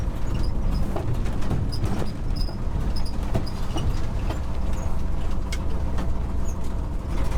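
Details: 1969 Ford F-350 with worn stock FE 360 V8 and 4.56 gears, lugged hard under load: heavy uneven drone with sharp pops; dead cylinder, backfiring, cutting out, dislikes fourth gear. Owner suspects timing, valve train, bad piston.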